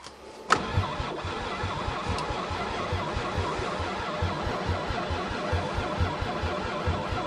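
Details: Chrysler van, not started since November 2006, lots of ether sprayed in: a sharp pop, then steady rhythmic cranking of about two beats a second that never catches into a clean run, with only a little smoke; crank, no start.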